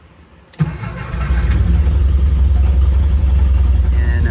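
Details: 1970 VW Bus, first start after fitting an electric fuel pump in place of the mechanical one, on a trial run. Quiet, then a sharp catch as it fires and settles into a steady even low rumble; starts cleanly, runs properly.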